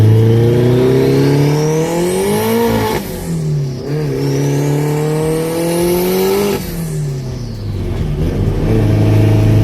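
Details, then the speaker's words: Tuned 700HP Honda S2000 on a fresh tune, air-fuel ratio hovering around 11–12 and dipping to 10: engine revs up twice, then crackles and pops on overrun as rich mixture spits unburnt fuel. "It still saw a 10 up there, and you can hear the crackle of the amount of fuel that it just can't burn."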